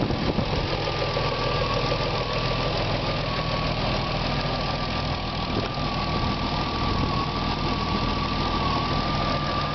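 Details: BMW E36 M3 S50B30 inline-six at steady idle with a light, rough, arrhythmic rattle over the engine note; owner asks whether VANOS or timing chain is the cause, unconfirmed.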